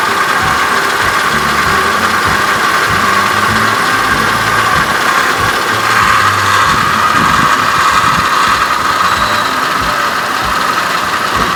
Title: 04 CTS nasty whining noise